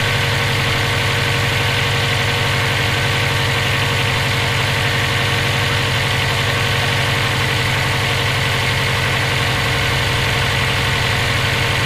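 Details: EJ257 engine knocking at idle for about 17k miles since purchase; fast, fairly regular ticking knock, roughly four per second. Owner suspects rod knock, spun bearing or valve lash needing adjustment; unconfirmed.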